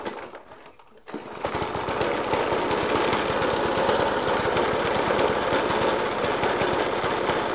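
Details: Suffolk Punch 30S mower, 1991 era, Dellorto FCH 20 carb; after new spark plug, decoke and carb clean, still heavy banging at idle: loud, fairly regular bangs three or four a second over a rough-running idle; cause unclear.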